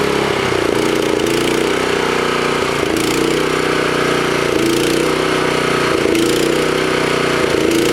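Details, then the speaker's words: Toro Power Clear 621E snowblower, 163cc OHV four-stroke single, on external tank, choke on: speed rises and sags about every 1.5 seconds, won't settle; surging idle, owner suspects carburetor, probably another new carb needed. "oh my key works anyway yeah still surging ah damn another new carb i guess you"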